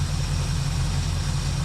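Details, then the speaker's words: 1976 Chevrolet Malibu V8 with Holley carburetor, after needle and seat repair: steady even idle with smooth low burble, no misses; flooding cleared from a cylinder and not smoking, judged good to go. "I can I can kind of hear it but she's not smoking she's good I think she's good to go"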